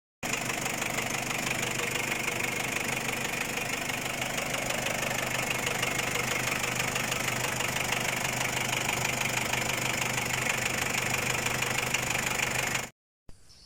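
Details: Ford Ranger WL diesel at idle, with a Chinese cylinder head fitted after an overheat: fast, fairly even tapping, about three per second, over a steady idle. Engine knocking, cause still being searched for.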